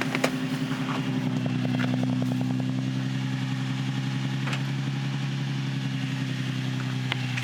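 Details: Nissan 350Z / Infiniti G35 just after starter replacement: engine catches straight away and settles into a steady, even idle with smooth low hum and no misses; normal start and idle.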